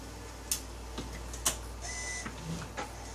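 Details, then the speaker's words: 1998 Nissan Pathfinder BOSE radio, replacement CD drive from a 2000 Infiniti I30 unit bench-tested for 'CD Err' fault: light ticks and clicks, then soft whir as disc spins up and reads normally. "actually hear it's spinning up reading and it actually reads and so we know we got a good CD drop in this one"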